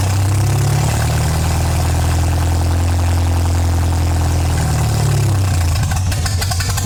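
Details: MGA 1600 roadster four-cylinder during restoration, low on fuel, cooling system test with new 4 PSI cap: steady, even low idle rumble with no knocks, misses or hunting; system holds pressure, normal healthy idle.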